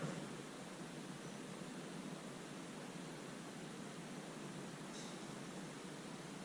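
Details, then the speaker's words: ST-2000 water leak detector on a slab, listening after water is turned on: a steady even hiss with no rhythm as water flows through the buried line, during slab leak training. "Yeah, can you hear the water moving right through? Slide over 3 feet, and let's see how loud it is."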